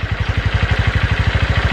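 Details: Honda Verza that was hard to start now idles after repair with even, steady single-cylinder thumping at about ten beats a second; idle slightly low, with faint unevenness as the piston and block bed in.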